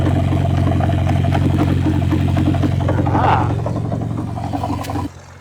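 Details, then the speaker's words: 1967 Ford Anglia 105E with Mitsubishi Galant VR4 6A13TT engine, on axle stands at steady idle: light quick tapping about three per second from the engine front, heard most at passenger-side timing belt cover; cause unconfirmed. "and there is definitely a knot coming from the front as well"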